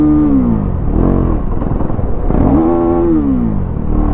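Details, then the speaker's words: Bajaj Dominar 400 after servicing and throttle body cleaning, revved for its RPM sound: single-cylinder engine revving up and easing off in uneven swells; note comes and goes, owner unsure why; handlebar vibration slightly higher than before. "RPMটো মাজে জানো কি আছে, মাজে সেই RPMৰ চাউণ্ডটো যোনটো না সেই চাউণ্ডটো মানে মাজতে আহে মাজতে নাহে।"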